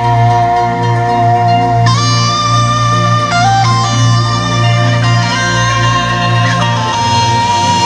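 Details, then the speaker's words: Yamaha PSR-S750 keyboard after component replacement for rumbling, noisy audio following diesel exposure at a parade; clean, clear tones with steady bass, no hum, rumble or distortion; amplifier output healthy after repair. "Ini sudah nggak trouble lagi sekarang. Kita coba."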